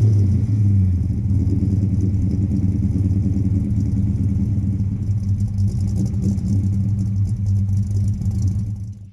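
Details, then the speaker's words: 1988 Fox-body Mustang notch V8, under 60k original miles, long-tube headers, off-road pipe, unknown mufflers; deep loud rumble at raised revs, even lumpy burble, no ticks or knocks, surprisingly quiet for the setup; normal exhaust note. "the car is actually surprisingly pretty quiet for something with long tubes and an off-road on it so i guess it's okay maybe the mufflers need to get changed but uh yeah nice little idol"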